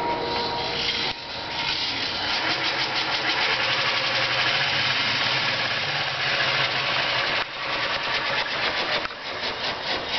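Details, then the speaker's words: Daytona electric car drivetrain on jack stands in neutral, 520 transmission with fifth-gear grinding history, DC-DC converter hiss in background: loud busy whir with rough uneven rattle; loud drivetrain noise in neutral, cause unknown. "so that is in let us double check it yes that's actually in neutral at the moment and so the noise that it makes sounds a little bit I don't know it's just it's a little loud"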